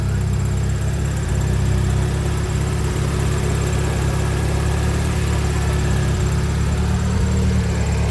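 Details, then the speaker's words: Acura RSX Type S after basic maintenance, slow to start: smooth steady low idle with even rhythm, no misses or surging, sounds much better than before; normal idle. "uh-huh sounds much better this sounds so much better what the hell"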